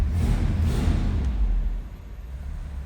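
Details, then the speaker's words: 1962 Mercury Monterey S55 hardtop with 390 V8, just cold-started: deep even low rumble softening after a couple of seconds, no ticks or knocks; healthy idle. "Listen to that 390. Door closes nicely. Oh, we got a little rumble. Sounds pretty good."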